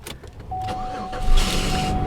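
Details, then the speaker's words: Grand Marquis, first start attempt: thin, steady high whine as the engine cranks and catches, possibly from holding the key too long; abnormal noise while cranking, cause unclear. "Oh. Did I hold the key too long? What happened there?"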